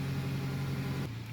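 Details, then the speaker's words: Engine idling smoothly after start-up following installation of a Dorman part; steady low hum with even beat, no ticking, knocking or misses, no check engine light and no codes on scan; normal healthy idle. "So far it seems to be idling pretty good and no check engine light indicating that I might have forgotten to plug something in. So everything seems real good."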